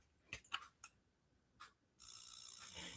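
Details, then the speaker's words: GAMA Sfera hair dryer demo unit that died during a client demo after a nozzle came off. Smart stand clicks and turns it on, light flashes as in standby, but the motor never spins up; only clicks and hiss. Dryer is dead. "The smart feature is working, but the dryer is not because I heard it click. I don't know if you can hear that. So it's turning it on, and usually when it flashes like that, that means that's in the standby mode. So it's definitely dead."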